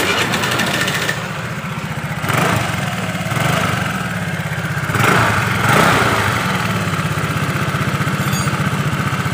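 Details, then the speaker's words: Honda Vario 110 carburetor scooter that misfired at high revs, after carburetor cleaning and air filter check: even steady idle putter with gentle blips returning cleanly, no stumble; engine normal again and throttle response better. "kalian bisa dengarkan suara motornya sudah normal kembali ke tarikannya juga lebih responsif guys"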